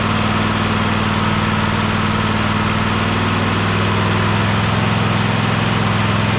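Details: Husqvarna YTH24K54 riding mower after service (new oil, oil filter, spark plugs, fuel filter, air filter): even low putter holding constant speed, no misses, knocks or hunting. Normal idle.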